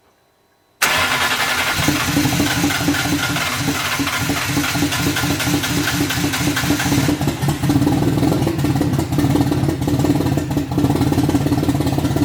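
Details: BMW E81 drift car with M50/M52-based engine on RM Primis ECU, after pumping about 10 litres of contaminated fuel from the tank until it smelled of E85: short crank, fires within a second, steady even idle; normal start.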